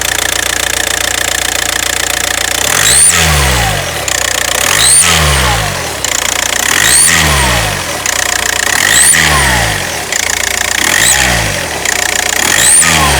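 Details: VW Passat B6 TDI: turbo-like whistle rises and falls with engine speed, loudest while driving from 1500 rpm and at idle only when revving; caused by the EGR valve not sealing properly.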